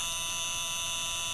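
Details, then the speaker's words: LM386 amplifier powered with no input signal: steady, shrill, unchanging tone from supply noise; fixed by placing an electrolytic capacitor from VCC to ground, after which the noise is gone. Power supply noise. "and there's this really annoying frequency being generated and and the solution I found for that is just by placing electrolytic capacitor from BCC to ground and that annoying sound is gone"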